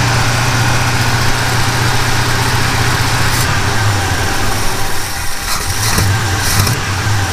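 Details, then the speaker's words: 1977 Chevy C10 after a broken rocker arm and pushrod were replaced, running rough like a misfire: uneven idle with sharp pops spitting back through the carburetor on throttle blips; owner suspects a damaged or bent valve. "every time I gave it a little bit of throttle you could hear kind of that little bit of snapping noise or whatever coming up through the carburetor so that tells me that I possibly have a valvetrain issue"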